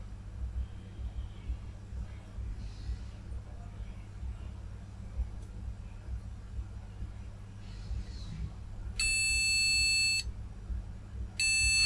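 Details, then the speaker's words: MSI Z270-A Pro motherboard from an ex-mining rig failing power-on self-test: two long, high-pitched beeps, each about a second, over a quiet hum; suspected RAM problem, not confirmed. "well doesn't work sounds like it's got a ram problem"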